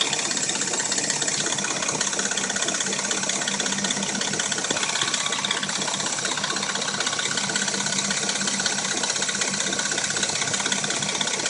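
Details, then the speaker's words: Dodge Intrepid at warm idle: a fast, uneven metallic rattle with light knocking over the engine hum. Both appear only when warm; cold, it sounds like a new engine. A timing chain is suspected, unconfirmed. "it only makes a rattle when it's warm. Same with the knock. When it's cold, it sounds like a brand new engine."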